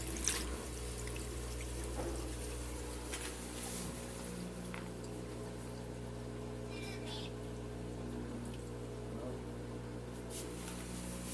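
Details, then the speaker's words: Turbo Drum 8.5 kg washing machine in spin cycle, drain stage; steady low pump hum with water rushing out, no knocking or grinding, expelling water well; normal drain pump, though the machine later shakes excessively during spin. "lo vamos a poner a centrifugar y está expulsando el agua bien"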